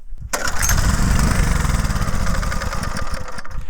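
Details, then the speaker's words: Homemade mini tractor's 6.5 hp Harbor Freight Lifan engine: catches on the pull, runs roughly a few seconds, then sputters and dies, even on choke; owner suspects fuel starvation, and the carburetor float bowl holds old gas goo. "Won't even run on choke now. I think it's starving of gas. You might need to clean the carburetor."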